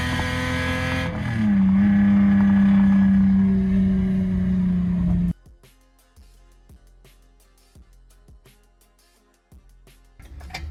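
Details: Lexus SC300 with a broken exhaust: loud raspy open-pipe roar climbing in pitch under a hard pull, then quiet clicks. Straight-pipe exhaust.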